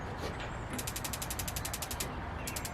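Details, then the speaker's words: AZ Patio HLDS01-WGTSS patio heater with a newly installed igniter running on a AA battery: crisp, evenly spaced sharp clicks about ten per second, then a pause and a few more. The replacement spark igniter works properly. "And in theory, that sounds like it's working."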